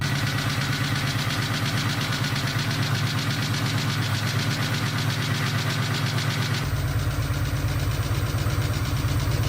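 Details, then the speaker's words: 2003-04 Ford Cobra 4.6 L four-valve engine, originally from a convertible: fast steady knocking/ticking over a rough idle, about three beats a second; teardown and possible full rebuild planned. "this is actually the engine that Blake originally put in its convertible started up had some knocking ticking noise"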